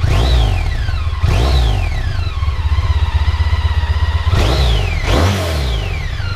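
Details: Honda ST1300 on stock exhaust: smooth deep exhaust note with four quick throttle blips rising and falling cleanly and no knocks or rattles; healthy revving.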